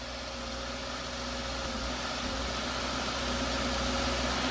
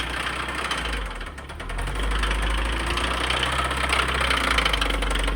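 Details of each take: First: Subaru WRX after one-day engine swap, first start with fresh oil: warning light clears, steady even idle with smooth low drone, no knocks or misses. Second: Stock Subaru WRX bought at auction as the knocking-engine car: steady internal knock about three to four beats per second at idle, rising slightly with revs; engine sounds bad.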